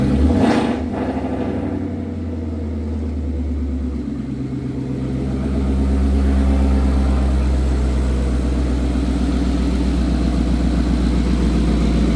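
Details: Datsun 240Z with Coyote V8 swap, first start after 1 year 8 months of work: cranks, catches and settles into a loud, lumpy but even V8 idle through open exhaust, rising slightly, no knocks or ticks; healthy first start.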